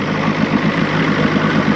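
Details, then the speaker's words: 1986 Johnson 90 hp SPL outboard at idle after link-and-sync ignition timing, a modified carb returned to original, and a new water pump; it had not run in a while. Low, even putter that smooths out with no misses; idle set right; normal idle. "you can hear it start smooth out some and we're we got the idle just set just right"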